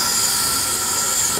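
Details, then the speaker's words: Soda dispenser with carbonator unplugged or without power, possibly tripped GFI outlet: sharp steady gas hiss with no water gurgle, cutting off when released; only CO2 comes out. "but a lot of times they get unplugged this is what it's going to sound like if it becomes unplugged"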